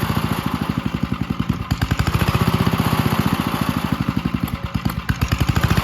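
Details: 1951 Gravely Model L garden tractor single-cylinder, running after fitting a hotter backup magneto (original gave weak spark) and cleaning an oil-filled carburetor; strong even thump roughly eight beats a second, steady, no misses; normal running.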